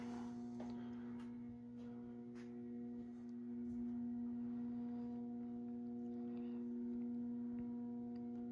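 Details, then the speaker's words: Early-1980s CEC-made Moss Heirloom Olympus 52-inch ceiling fan on low, about 55 RPM: loud, steady low hum with strong overtones over a soft whoosh; pronounced buzz from the variable speed control. "So, as you can hear, this fan definitely has a very pronounced variable speed buzz to it. Definitely one of the loudest fans in that aspect that I own."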